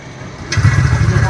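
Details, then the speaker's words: TVS Ntorq 125 BS6 scooter after engine sound-problem repair and reassembly: starts instantly into a smooth, even low putter with no rattle or tapping; healthy idle. "Start है। हो चुका है। Perfect हो चुका है।"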